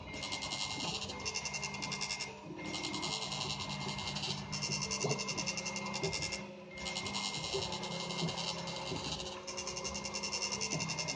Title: Y-axis making noise on my new Prusa I3 mk2